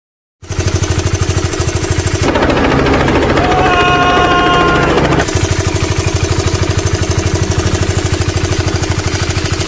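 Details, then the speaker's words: Honda CBR150R with K56 150cc engine at idle: fast even metallic chatter over the engine beat, a slack cam chain rattle caused by a faulty tensioner; owners often fit a Karisma tensioner as the fix. "masih soal kekurangan semua motor yang pakai mesin k56 ini identik banget dengan suara kemericik rantainya mau rantai roda ataupun rantai keteng juga samanya"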